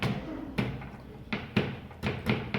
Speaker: I can hear the cable rattling in the wall, which tells me it's not fixed up there.